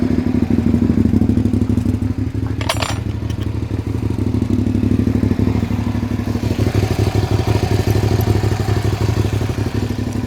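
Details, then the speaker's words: 2003 Suzuki SV650 fuel-injected motorcycle after a new fuel pump and cleaning debris from the injectors; now an even, steady thumping idle with no stumbling or cutting out, sounding a bit better; normal idle. "How does that sound? That sounds a bit better."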